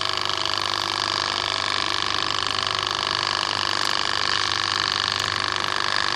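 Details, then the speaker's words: Wagner 435 7.8 hp diaphragm pump, brought in loud and leaking hydraulic oil, after internal hydraulics rebuild: steady loud hiss and clatter pulsing about 3.5 times a second with drain valve open, purging air; running normally. "So I'm going to open the drain valve, and you can see that there's bubbles coming out from this return hose, at least I hope you can see it on camera. And what that's doing is it's pushing all the air that's currently in the system out."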